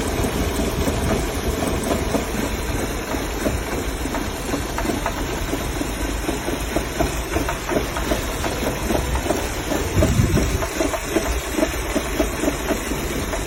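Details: Audi engine: uneven idle with irregular stumbles and dips in the beat under a hissy background, the unsteady pulse of a misfiring cylinder; cause not confirmed.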